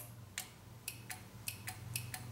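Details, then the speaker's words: Nissan Maxima right rear power window stuck: sharp single clicks about every half second come from the switch module, with no motor whir; the motor has power but is seized, and tapping it with a hammer did not free it. "Okay, so the click is actually in the module here, in the switch is what I'm hearing, this like a relay or just a spring."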